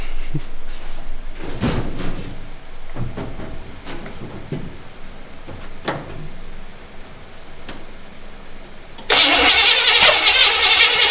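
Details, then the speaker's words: Canadian GMC 9434 1-ton truck V8, first start after six-year restoration, fuel leak: uneven cranking catches then loud whoomp as it backfires through the carburetor, which catches fire. "Whoa, it's on fire again. That scared the shit out of me."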